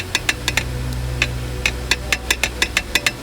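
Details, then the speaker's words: Dual-mass flywheel removed from a car: sharp metallic clacks about five a second as the loose secondary mass is rocked back and forth, excessive play, completely worn, must be replaced. "as you can see that Jew mess is completely bugger see excessive movement in"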